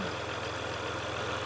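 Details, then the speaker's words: Jeep Rubicon EcoDiesel, built 7/2021, low miles, noise began after being revved hard while stuck in mud: steady diesel idle with a rhythmic oscillating, wavering hum on top. "You can kind of hear it's like a oscillating noise. So, see if we notice anything out of the ordinary."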